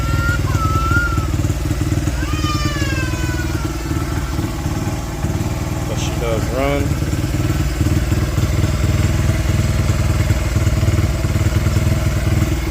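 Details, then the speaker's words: 2005 Honda CRF80F dirtbike, kickstarted, still cold: small single thumps with uneven, lumpy beat that stumbles now and then; runs rough, carburetor to be cleaned and rebuilt next, cause not confirmed. "I was able to get it started so yall can hear it. It is still cold. does not run the greatest,"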